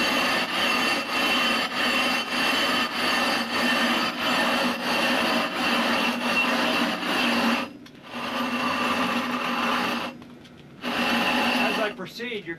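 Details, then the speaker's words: Hand rough grinding of a 20-inch telescope mirror blank: rhythmic back-and-forth strokes about one every 2.5 seconds, the harsh grinding rasp softening into a murmur as the abrasive breaks down to finer grain and stops cutting the glass; time to replace it. "to hear the sound softened very quickly so you don't hear that harsh grinding sound it disappears into a soft sort of murmur at that point the abrasive is really not much use anymore because it's worn down into a much smaller grain size and so it doesn't cut the glass effectively"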